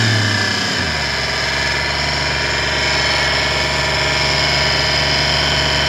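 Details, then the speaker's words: 1998 Porsche Boxster with Audi V8 swap, timing belt covers removed: steady idle with constant high whine and hum, not a knock; traced to the power steering pump, nothing bad found at the timing belt. "on dirait en fait que c'est la pompe de direction assistée cela fait tout ce vacarme"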